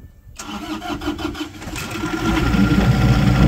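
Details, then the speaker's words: Airman SDG25 25 kW diesel generator, brought in for no voltage output, starting and idling. A short crank, then a steady, even idle at the correct 800 rpm with oil pressure; the engine is fine despite frequency reading 47 instead of 60 Hz. "okay engine runs fine got um 800 RPMs that's correct"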